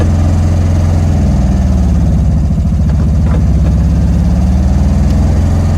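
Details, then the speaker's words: 1971 Karmann Ghia, sat 20+ years, first drive after oil leak fix, idling with no throttle: loud, deep, slow lazy idle with heavy exhaust drone; runs but idles below normal, idle still needs adjusting. "So no foot on the gas. That's a slow idle. But that's an idle."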